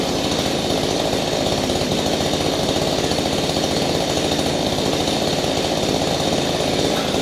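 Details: Small engine running after a no-start fix, with the cleaned-up spark plug refitted and the air filter still off: a two-stroke buzz at steady high speed, crisp and even exhaust, no stumbling; the engine now runs properly.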